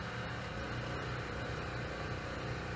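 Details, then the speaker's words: Used Coleman Powermate Pulse 1750 generator (1400 W continuous, 1750 W surge), fresh gas and oil change, running outdoors powering a tea kettle (about 800–900 W): steady, even drone with no surging or misses; running healthy under load. "you can hear it working there. So it's going. And we're just going to let it run for a little bit."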